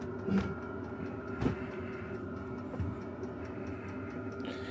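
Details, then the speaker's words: Chinese 12 V diesel heater on kerosene, outside a caravan with ducting, shortly after first start: steady fan rush with a constant mid-pitched hum, drawing air in, pipe warming, no rattles or surging; normal running. "And now it's going like the clappers. And you can hear it drawing air in through there. That pipe's getting hot now."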